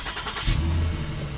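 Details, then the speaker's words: 2009 Lincoln MKS, before sealing with exhaust putty/tape: throttle blip rises to a loud, deep, raspy rumble, sounding almost like a Mustang; exhaust leak. "you can definitely hear the sound of the exhaust leak"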